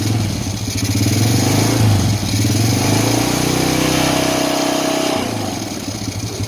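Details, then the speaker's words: Honda Supra Fit New motorcycle after engine rebuild for heavy smoke and rough, noisy engine: smooth even idle rising cleanly on gentle throttle blips and settling steadily, no knocks or rattles; running normal again. "Nah, oke teman-teman, di sini untuk motornya sudah normal kembali."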